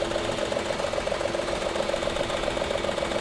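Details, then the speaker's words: Maruti Suzuki WagonR K-series with blinking check-engine light and oil consumption: idle has a regular thudding stumble about 2.5 times a second and the engine shakes. One cylinder, found to be cylinder 1, isn't firing; ignition coil being checked. "देख रहे हो ना कितनी बुरी तरीके से engine machine कर रहा है ऐसा लग रहा है जैसे कोई एक सिलेंडर इसका काम नहीं कर रहा है"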